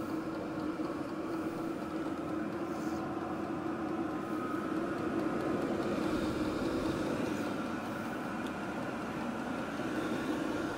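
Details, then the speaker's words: WIPPRO 8kW diesel heater after about 14 minutes running, turned all the way up to 5.4 Hz: steady even roar of combustion fan with faint fast pump pulse, no ticking or misfire; normal running at full output. "we're just going to turn this all the way up it's in hertz and so we'll go all the way up and you'll hear this really ramp up let's just all right we're 5.4 Hertz and you can hear it kicking"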